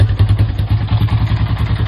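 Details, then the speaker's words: Honda Rancher 350 ATV, after the idle was lowered on the carburetor from all the way up: quick, even low single-cylinder thumping of about eight beats a second, steady with no misses or clatter. Idling properly. "idle down let's start it up and see what happens it's running perfect"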